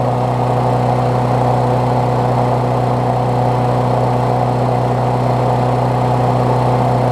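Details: Briggs Classic single-cylinder swapped onto a Bolens push mower deck, run after fresh gas and 16 oz oil, temporary throttle setup: steady, even drone at moderate speed, no knocks or surging; running healthy.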